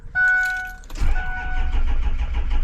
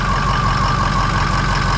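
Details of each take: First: Diesel vehicle that had been sitting, very cold, battery around 11.6–12.3 volts, jump-started with a Loki Thor J3250 jump pack: chimes, about three seconds of laboured cranking, then it catches and fires. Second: Diesel vehicle that had been sitting, just jump-started cold with a Loki Thor J3250 pack on a weak battery, lights on: steady low clatter with faint whistle, idle low while glow plugs still on, expected to kick up.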